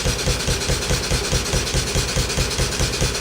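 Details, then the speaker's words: Stuart No1 steam engine under restoration, running on steam from a rocket stove boiler: a sharp, regular knock about 143 times a minute, once per revolution, from a loose or worn pin. "You can hear that pin, that's for sure."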